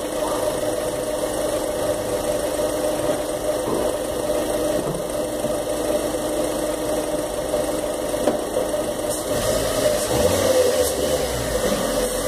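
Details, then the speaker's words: 2013 Fiat Palio Celebration with the Fire Economy engine, parked with the handbrake on and loaded to reproduce a metallic knock heard on hills and downshifts. Bursts of uneven metallic rattle before the engine stalls; the mechanic blames bad gasoline and recommends a decarbonizer. "enfim faz um barulho de Ferro batendo com ferro e eu vou tentar fazer esse barulho com o carro parado com freio de mão puxado"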